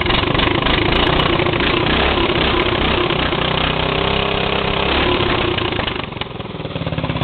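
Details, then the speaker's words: Lawn mower small single-cylinder engine, warmed up after a cold start. It settles into a steady, even idle by itself with no misses or knocks. It started easily once the throttle was opened a bit. Normal idle. "all right I think it's warmed up enough to idle by itself well it's running that pretty good too"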